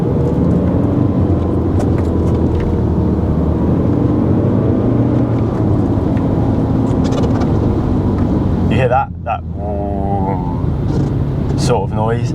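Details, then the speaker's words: BMW E90 320d before its turbo replacement: loud, steady, low droning hum over a constant engine note with no knock, blamed on the turbo, which is being replaced. "that is the turbo drone in so yeah it's it's an issue that we're going to have to fix but obviously that's what the new Turbo's for there you go that's how loud it can get it doesn't sound good at all"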